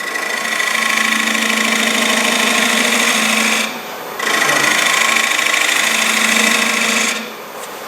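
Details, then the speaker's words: Finish-turning a dried salad bowl with the tool edge held at 45 degrees to the wood: a steady, smooth shaving hiss with pauses between passes and no chatter. A clean cut with no tear-out. "and you can see i'm just shaving the wood off and i can hear i can hear there's no tool right there's no tear out excuse me"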